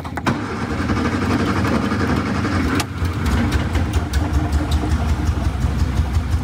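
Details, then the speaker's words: 1962 Austin Healey Sprite Mark II after priming the oil pump by pouring oil through a port: cranks, fires, settles to steady low idle with a brief dip and light revs; oil pressure now present, normal idle. "there you go we have oil pressure now i'll let it pump oil make sure that it gets up all the galleys gets to the top of the engine lubricates the valves"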